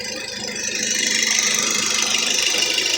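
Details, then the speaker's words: 2004 Mazda 3 2.0L at idle after the noisy VCT solenoid was diagnosed and the knock quieted: light, regular tapping at about three a second remains. Owner suspects mild lifter noise, possibly cylinder two or three, or a loose injector. "I'm gonna have a slight little bit of lifter noise"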